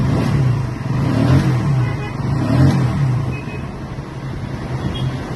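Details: Bajaj Pulsar NS 125 just after servicing (oil and oil filter change, air filter cleaned, chain adjusted and lubed, cables oiled, rear brake and timing set): steady single-cylinder idle with a couple of smooth revs, no knocks or rattles; healthy.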